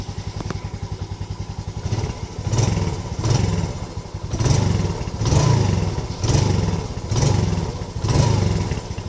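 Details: Yamaha Lagenda 115 FI after throttle body service and adjustment: a steady, low putter at idle with a gentle swell about once a second and no knocks or stalling. Normal idle.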